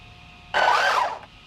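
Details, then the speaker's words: Traxxas Slash LCG, 3S LiPo, Mod 1 gearing, brand-new Boca ceramic bearings run for the first time, light throttle: brief smooth whir rising about three quarters of a second and fading cleanly, no grinding or binding; drivetrain running freely. "Hey, it works. Alright, so these are the first time that these bearings have been run, ever. So it's probably going to be a little bit bound up."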